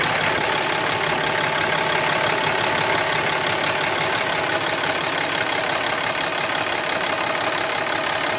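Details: 2012 Ram 2500 Cummins diesel idling after fuel filter change (Fleetguard FS43255): steady idle, about three even beats a second, no stumble or knock; running healthily.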